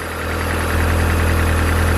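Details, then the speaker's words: Mazda Miata (MX-5) fitted with Toyota 4A-GE 20v individual throttle bodies (Hummelink kit), idling while being synchronized; lumpy low throb and uneven pulsing instead of a smooth hum, as the throttle bodies are out of sync, hurting performance. "this can make a huge difference on uh on performance so we're gonna make it all equal again"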